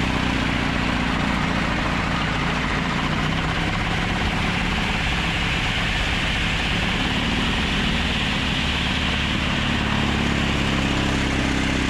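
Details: Old 2-cylinder diesel off a generator, believed Cummins, unrun for 6-8 months, started indoors in the shop: loud, steady clatter with an even low thrum, no stumbling; running cleanly.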